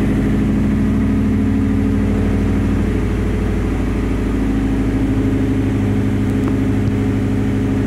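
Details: 2004 Subaru Forester XT with an STi turbo engine swap, running with a lumpy, pulsing exhaust note and rough puffing. Exhaust leak caused by no hangers on the back half of the exhaust, and the catalytic converter cracked.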